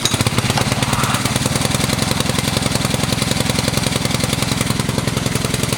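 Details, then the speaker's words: Honda GC190 power-washer engine after carburetor cleaning and oil change, previously only ran on choke: steady, even single-cylinder beat off choke with no misses or surging; healthy. "all right sounds pretty good but uh I'm going to use it here for about a 15 minutes the spray on this wheel horse"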